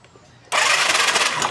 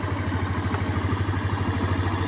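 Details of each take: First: Skydrive 125 motorcycle that suddenly died: electric starter spins the engine with a fast hissing whir but it never fires; spark test shows no spark at the spark plug cap. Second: Skydrive 125 motorcycle that suddenly would not start, blamed on a valve, after a spark plug from another motorcycle was fitted: it started on one push and idles with an even, steady low putter, no misfire; the problem was only the spark plug.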